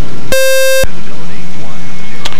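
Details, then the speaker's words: Cockpit EFIS/EMS high-current alarm beeps, a steady high-pitched half-second tone over low engine rumble, during startup and first-ever taxi of an RV-7 aircraft at Suffolk County Airport, 16 °C, while the pilot tries to silence the alarms. "High current alarm. High current alarm. Okay, let's see. What is a high temperature? That's annoying. That's absolutely annoying."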